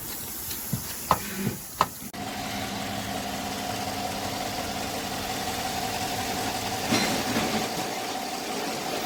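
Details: 2015 Chevy Silverado 5.3 V8 with P0300 misfire and blinking check engine light: after handling clicks, a faint uneven tick and slight stumble at idle from a defective collapsed lifter not holding pressure.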